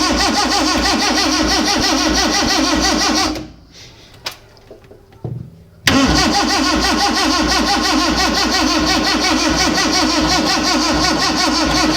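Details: Freshly rebuilt Morris Minor, first start attempt, no oil pressure yet: steady cranking about four beats a second with a near-catch but no sustained running; suspected ignition timing out or flooding from untuned carburettors.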